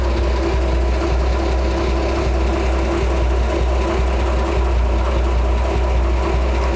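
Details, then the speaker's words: 1966 Ford F100 V8 with new parts-store exhaust and Thrush glass pack muffler, recorded on cell phone before test drive: low, even burble, no misses, ticks or rattles; idling cleanly and mildly. "much better. I think we can live with that. Let's get in, let's go. Much better. I think me and Chuck can live with this."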